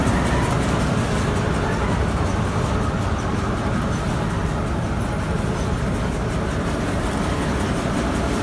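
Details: Petkus K527 seed cleaner after a major overhaul, running normally: a steady mechanical rush with a constant shaking rattle and no knocks or surges.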